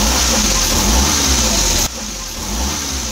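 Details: Suzuki DA64 engine after replacing timing chain set: runs smoothly with a light rev, no grinding; earlier it ran hot and sounded like grinding stones despite recent overhaul.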